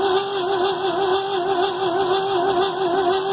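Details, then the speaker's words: New Holland 1400 combine, Ford 300 engine, first start after cylinder head replacement and spark plug wire repair: steady starter whine with strong, even compression pulses about twice a second, no firing; plug leads were in reverse firing order. "sounds like she's got all the compression in the world of Achaia I have to double-check my firing order all right so I had the firing order backwards"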